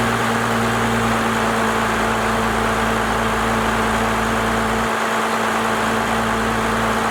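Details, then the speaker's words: First-gen Cummins diesel, 4-inch straight pipe, timing advanced and idle speed raised: deep, steady idle with an even, unchanging lope through the loud open exhaust; smooth and settled, sounding better after the adjustment. "She sounds a lot better to me. Definitely got that idle adjusted to where I think it needs to be."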